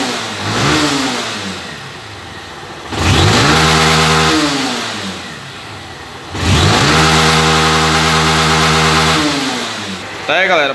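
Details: Honda CG 160 Titan motorcycle after restoring the TPS sensor, which had caused misfiring and no revving: two clean blips from idle climb smoothly to high revs and drop back evenly, no stumble or cut-out; no fault codes, engine healthy.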